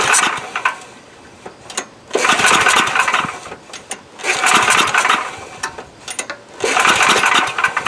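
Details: Coleman Powermate Maxa 5000 ER generator, old 10 hp pull-start engine, with new replacement carburetor: repeated pull-start cranking bursts with pauses, never catches or runs; owner thinks it started better without the new carb, cause unconfirmed; won't start.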